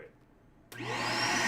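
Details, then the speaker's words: Shark vacuum with a suction problem: motor spins up from silence into a steady high whoosh with a sharp airy hiss on top, air escaping at one spot, costing suction. "Okay, that sound is air escaping from right here. This little spot right here."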